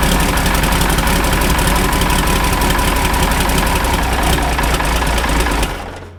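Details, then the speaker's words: Ford 5000 tractor with a swapped-in Ford Brazilian 7.8 six-cylinder turbo diesel (from an L8000), first fire-up after the swap: even, steady diesel clatter at fast idle for about five seconds, then winds down and stops; runs decent. "I just want to look before I run it for too long because that was a first fire up in this tractor. Wow, that thing ran. It seemed to run decent."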